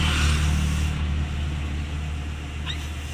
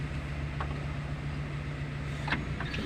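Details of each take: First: 2010 Suzuki Carry Futura 1.5 at idle: steady air-like hiss when the brake pedal is pressed, louder when pressed deeper, fading after about a second; a leaking brake booster seal. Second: 2010 Suzuki Carry Futura 1.5, engine idling after brake master cylinder replacement: brake pedal pressed fully with only faint clicks and no hiss, whereas before repair a half-pressed pedal made a hissing noise.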